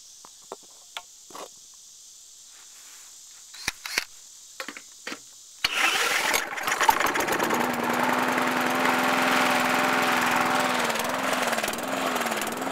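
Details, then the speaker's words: Briggs and Stratton 450 series lawn mower engine, started with a drill on the flywheel because the recoil spring is broken, fires up. Its speed then rises and falls every second or so: surging, hunting idle. Owner suspects a bent governor spring. "Now you can hear it going up and down, up and down, up and down."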